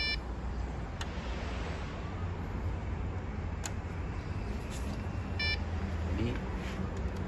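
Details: Desktop PC powers on, fan runs, but no display; steady fan hum with short high beeps repeating about every five seconds, a memory check failure; owner suspects loose RAM stick, to be removed and cleaned with an eraser.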